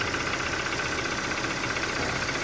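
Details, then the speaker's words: Taxi car, 224,000 km, after timing chain, switch, coil boot, throttle body and front seal work: rough uneven idle with faint irregular tapping knock through the engine clatter; still knocking, chain kit, oil pump and tensioner planned. "Қазір де естіліп тұрған шығар, так деп тұр. Осылай тақылдап дыбыс шығып тұр, енді жүре береміз."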